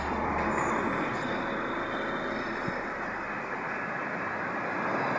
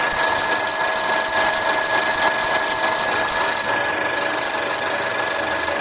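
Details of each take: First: 2013 Mercedes C180 1.6 turbo petrol, 91,000 km, idling smoothly and evenly after belt replacement, with no squeal, chirp or rattle from the belt. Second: 2013 Mercedes C180 W204 1.6 turbo, 91,000 km, idling: quick, regular high chirping, about three or four a second, from the old original accessory belt.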